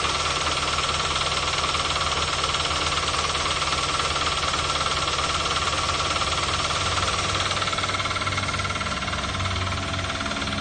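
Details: 2012 Toyota Avanza/Daihatsu Xenia, 1.5 L 3SZ-VE I4, running: steady knock about three to four beats a second, persisting with the serpentine/fan belt removed, so internal to the engine.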